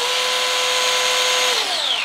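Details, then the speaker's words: Axial SCX102 RTR crawler after 100 miles on stock axles and driveshafts, run up to check the bearings. A smooth, high, even whine winds down cleanly with no clicks or grinding; normal drivetrain spin. "just it whizzes fat there's there's absolutely no noise coming from the drivetrain on these axles"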